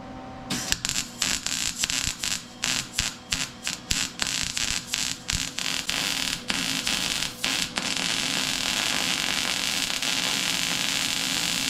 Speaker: did you hear it was start stop start it was an ant that means the wire speed needs to come off a tick because we're too slow